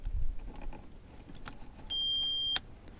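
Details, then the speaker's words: VW Passat B3 after headlight low/high beam electrical repair: one steady high-pitched half-second warning beep, buzzer now sounding normally again. "О, уже запищало, значит уже работает."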